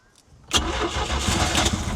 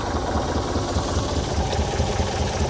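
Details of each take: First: 1978 Sylvan boat, 2.5 L inline-4 Mercruiser 120: starter churns briefly, then the engine catches and settles into a rough, uneven idle; hard starting, owner suspects no spark again. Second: 1978 Sylvan boat with 2.5 L Iron Duke engine at a steady, even idle with a smooth low rumble and no misses or knocks; the new alternator reads 13.49 V at idle, so it is charging. Normal idle.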